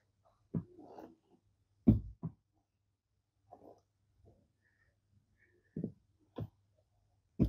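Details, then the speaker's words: Honda City GM2 5MT 2009-2014 (same as Jazz/Fit) clutch pedal after replacing and greasing its bushings; dull thumps as the pedal is pressed and released, with no creak or squeak. "Vous entendez ça ? Rien que du silence. J'l'ai finalement fait ! Plus de bruit, rien, rien, rien, c'est parti"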